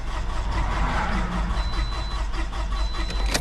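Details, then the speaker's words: 2006 Toyota RAV4 crank-no-start with a camshaft code; crankshaft sensor previously replaced. Starter spins the engine with a light, too-even churning and no catch or firing, typical of a broken timing chain. "It doesn't sound totally normal."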